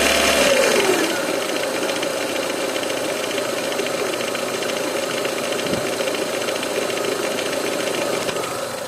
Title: стук в двигателе к4м